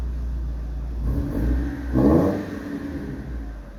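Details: Bakkie exhaust after a leak at the flange-to-muffler joint (no gasket) was temporarily sealed with Firegum; deep steady idle with one clean rev, smooth exhaust with no puffing or ticking, sounds better than before.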